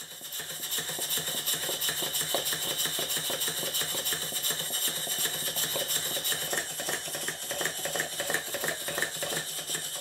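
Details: Southworth duplex boiler feed pump before service, with oil in the water cylinders, glands leaking: light, clattering mechanical beat with uneven spacing between strokes; customer suspects valve timing is out.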